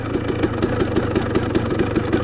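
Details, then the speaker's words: KTM 300 two-stroke dirt bike in a comparison of a Lectron H-series carburetor and a stock Keihin PWK38 with JD Jetting: quick, even popping idle with no stumbling or dying; clean, normal healthy idle. "I'll stop you can probably hear it very it sounds very healthy first kick probably it sounds so healthy it was really nice"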